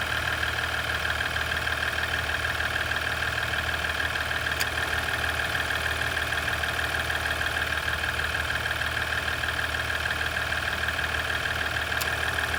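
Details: 2017 EcoDiesel at idle: steady diesel idle with a light, even click about three times a second over the engine note. Engine ticking at idle, source not yet pinned down.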